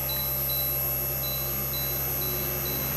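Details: Daikin R32 air conditioner running with a 220V fan modification, unit humming while the remote steps through error codes with repeated short high-pitched beeps about every half second; error code E7 is read out.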